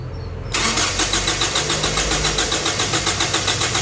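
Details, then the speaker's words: Gasoline Toyota Innova: steady starter cranking at about four pulses a second never catches, cranks but won't fire; two blown fuses found, including the injector fuse; overcharging alternator suspected as possible cause. "Putok ang isa. Ayan oh. Putok din dito. Isa. 15. Ayan. Dalawa. Dalawang putok."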